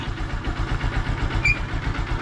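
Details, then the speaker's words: Honda Supremo motorcycle single-cylinder, hard starting in mornings, kick-started cold with choke open after spark plug change: started immediately, quick even thumping idle with no throttle, healthy cold idle on choke. "mga idol umandar agad yung Honda Supremo natin Tapos hahayaan lang muna natin na gyan"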